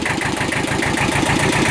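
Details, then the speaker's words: Kubota L Series (mid-1970s) diesel tractor, warm after about half an hour running, oil changed, coolant topped off, after internal oil leak repair: quick, even idle clatter, no knocks or misses; normal idle. "hey well it's been out here running for about a half hour or so I changeed the oil in it topped off the coolant"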